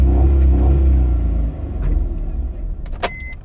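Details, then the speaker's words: Maruti Alto K10 with code P0340 (camshaft position sensor circuit), long cranking, low pickup and check light on: a strong engine roar holds at a fixed speed near 4000 rpm and won't climb to 6000, so revs are limited. "गाड़ी हमारी ऐसी start होना चाहिए 4000 से ज्यादा गाड़ी का RPM नहीं ए रहा है ठीक है फ्रेंड्स"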